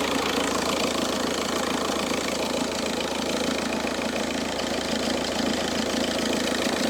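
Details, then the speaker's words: Seat engine at warm idle after coolant refill: light jingly metallic rattle about three a second over the engine, likely from the belt tensioner, which moves a lot; owner suspects tensioner, replacing it before the alternator; rattle at idle. "No sé si apreciáis el sonido apreciáis el sonido suena el tensor escucháis suena el tensor va a ser el tensor el tema del sonido"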